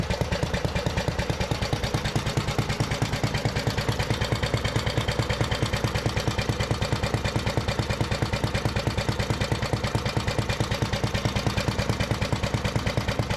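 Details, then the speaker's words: 1973 Briggs & Stratton-powered Giant Vac leaf blower, long unused and apparently seized, revived; restarted without choke, throttle linkage still sticky. Crisp, even single-cylinder beat with strong steady airflow, no misses; normal running. "oh man that thing is pumping some air man this thing sounds good y'all see it Blow the mat right out the door"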